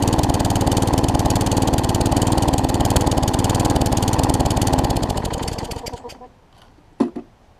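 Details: Newer Tecumseh vertical-shaft engine on a 20-inch wheeled weed trimmer after aftermarket carburetor replacement: steady fast regular beat, no hunting or stumbling, with trimmer engaged, then switched off and winding down; normal running under load.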